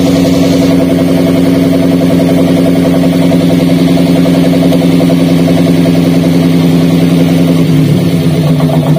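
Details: Daihatsu Gran Max idling with the coil connector for cylinder three unplugged: loud, lumpy idle with a limping exhaust and heavier vibration; a failed ignition coil is causing misfire and low power.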